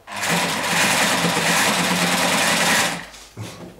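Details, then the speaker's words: Sewing machine electric drive with hydraulic rubber O-ring (about 5.6 mm) as replacement drive belt, motor previously cutting in and out: runs up to fast, even stitching clatter for about three seconds, stops cleanly; working again, fault unidentified. "Теперь всё снова заработало."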